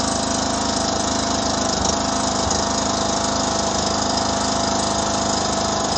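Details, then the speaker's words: 2009 John Deere LA105 lawn tractor engine, cold first start after tune-up and fuel system purge: steady even putter with no misses or surging; smooth normal idle, about 80% improved. "okay now it's running good smooth it idle may take this machine some time to come back around"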